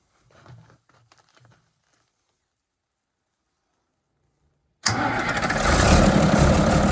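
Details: 1975 White 2-150 tractor diesel starting for the first time in 19 years, secondhand muffler fitted and intake cover off: silence, then it fires and runs with a steady, even low chug plus open intake rush; normal idle.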